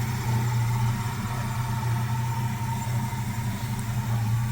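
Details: 1966 Chevy C10 V8 on a 1972 C10 frame: idles low and steady with even deep burble, no rattle or knock; normal idle.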